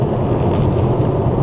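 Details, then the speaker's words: 2013 Tesla P85 with about 272,000+ miles, cruising at highway speed after sway bar and link replacement: steady road and wind roar with no front-end rattle or knock. The rattle now occurs only at low speeds and is far better. The front end may need further work. "there's no rattling from the front end at all it only does it at low speeds and it's far better than it was before so I think we fixed it somewhat"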